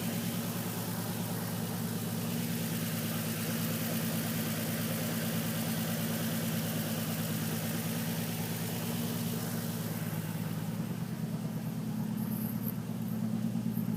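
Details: Nissan 350Z at idle: uneven pulses about three beats a second with faint knock in the low rumble; misfire with slight knock, cause not yet clear.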